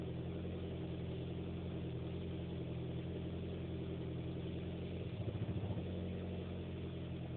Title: Weird Noise 57 Seconds.3gp